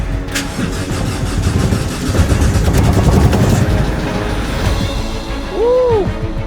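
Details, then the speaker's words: Mercedes Sprinter diesel, first start after engine replacement, in neutral: fires and settles to lumpy uneven idle; replaced injectors not yet coded, throttle valve still to be done and flow sensor also replaced; rough running. "even though the vehicle turned on something just ones that has actually been replaced that is part of the engine like the injector we have to reprogram that"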